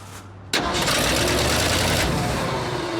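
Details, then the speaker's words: Abandoned, long-sitting 1979 Ford F-350 pickup gravity-fed from a fuel bottle into the carburetor; engine catches and runs only while the key is held in start. Ignition run circuit apparently dead; fuel feed also suspected too slow. "Here we go. Dude! I have to keep it, the ignition turned to make it work."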